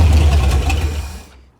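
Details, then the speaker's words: 1973 Mercury Cougar 351 Cleveland V8, freshly timed with new plug wires, fed from a can to the fuel pump with fuel poured in the carburetor: deep bark catches about a second then quits; carburetor and fuel pump condition unknown; starts then dies. "it's starting to pull it feels like it is said I know nothing about this carburetor so I'm completely winging it"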